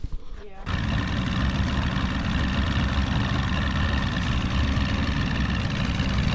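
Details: Stock 49 cubic inch engine on a restored 13 ft Delta T850 race boat at its first water test: catches after a brief quiet and settles into a deep, steady, even rumble, no misses or knocks; healthy idle.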